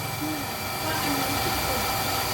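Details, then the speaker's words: Hitachi home water pump, after replacing the air tube and bleeding air, bathroom tap open: steady, even rushing hum with no cycling or stops. Normal continuous running after repair. "โอเคอ่ะใช้ได้ละออกนครับวิ่งยาวๆงี้โอเคนะครับ"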